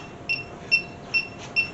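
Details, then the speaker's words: 1967 Mercury Cougar with a cobbled-together AC system, electronic leak sniffer on maximum sensitivity at a cobbled joint and a fitting that had been loose but is now tightened; slow, steady chirps about two a second, no speed-up; no refrigerant leak. "Nothing there. This fitting was loose, but it's tight now. Not leaking."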